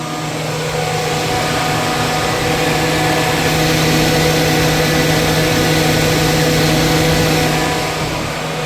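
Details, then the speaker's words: 2001 Chevy Silverado electric radiator fans after rewiring with butt-connected harness: steady whirring hum, constant low drone and airy rush at even speed; fans running normally. "Alright, man, got it to work. The fans, I just butted this one."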